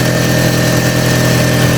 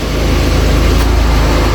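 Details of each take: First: Audi TT Mk1 1.8T Quattro 225 bhp, 6-speed manual, first start at idle after reassembly; fast rhythmic puffing following the firing pulses, an exhaust blow where the exhaust snapped all the way around. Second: Audi TT Mk1 1.8T Quattro 225 bhp, 6-speed manual, idling after the exhaust was fixed; deep even engine note with steady pulse, no ticking or chuffing, sounds healthy and sealed; power steering still not bled.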